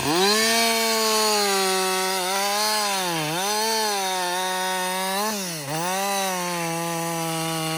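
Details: Husqvarna 562XP chainsaw, back from the shop after dealer reflashed its software for dying when hot and stumbling, about two-thirds of a tank in: strong steady high buzz dips as the bar bites, recovers cleanly each cut; normal under load.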